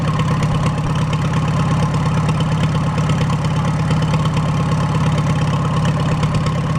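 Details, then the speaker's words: Farmall A with a freshly rebuilt engine, just started with no radiator or coolant and valves still to adjust. A loud, unmuffled, even four-cylinder putter of about three firings a second with good oil pressure and no knock: normal idle. "so I'm going to let that run for about 5 minutes or so it's got no Cooling in it right now no radiator I'll let it warm up I want to adjust those valves and then uh you finish butting up the nose on the thing sounds good though good oil pressure"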